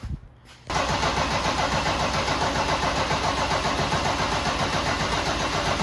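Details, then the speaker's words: Mercedes OM606 diesel swapped into a Datsun 240Z, first start after a new billet turbo manifold and exhaust with internal wastegate, cranked to build oil pressure: quick catch after short crank, then smooth, quiet, even idle with no knocks or exhaust leaks; normal start and idle. "That should be good. I can't tell. It's really quiet. Wow, let it warm up. All right. Sounds good. Sounds real good. Quiet."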